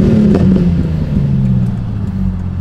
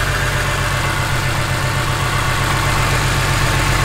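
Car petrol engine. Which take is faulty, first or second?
second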